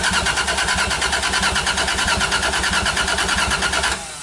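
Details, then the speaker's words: Toyota 1JZ-GTE in a Lexus IS300, on a swapped ECU: even starter cranking in steady pulses for about four seconds, then it stops, with no firing or catch, so no start. The cause is not confirmed. "Damn, nothing still."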